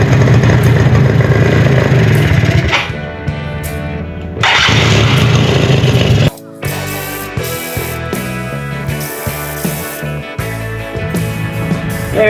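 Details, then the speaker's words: Project quad after a spark plug change: starter churns in quick bursts, about three per second, but the engine never catches. The fuel lines are completely dry, so it runs on starting fluid but not on the gas just added. "That would explain why it will run off starting fluid but not run off the gas I just put in it."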